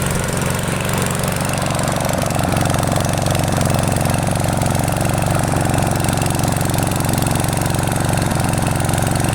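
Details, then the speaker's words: Freshly restored, repainted self-propelled mower, handle clamped, idling about 20 minutes with paint smoking off: steady chug with slight speed wandering; mild idle hunting ("searching a little"), cause unclear. "it has been 20 minutes the machine runs fine it is searching a little bit sometimes but it is also just idling"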